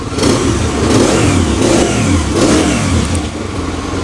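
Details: Yamaha XTZ 125 fitted with a replacement STX 125 carburettor, after float adjustment stopped the overflow: three clean throttle blips climb and fall back crisply with no popping or stumble, single revving without misfire.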